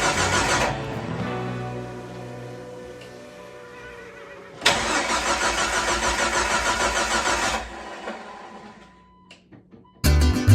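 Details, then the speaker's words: Jeep 4.0 first start after complete overhaul, oil primed, coolant topped off: two bursts of even starter cranking but it never catches; no RPM signal, traced to broken crankshaft position sensor wire. "well it didn't fire right up so it's only mean it's not getting fuel it's not getting sparked so yeah let's work on this"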